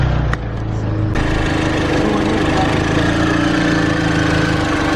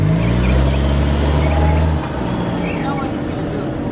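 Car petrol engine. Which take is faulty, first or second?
second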